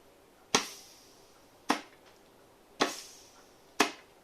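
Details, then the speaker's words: 4L80E transmission (dual feed mod) on the bench, compressed-air check of clutches: four sharp blasts, each a crisp clack with short hiss; fourth clutch applying and sealing well. "clutch is sealing beautifully. The center bolt here is the intermediate, which is second gear. That's working."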